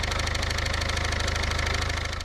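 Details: Engine at idle with a fast, even tapping knock from the front that only disappears when the auxiliary belt is removed; rubber in the crank pulley harmonic damper likely has let go and the pulley appears to slide, not the AC compressor — suspected worn harmonic balancer, to be replaced.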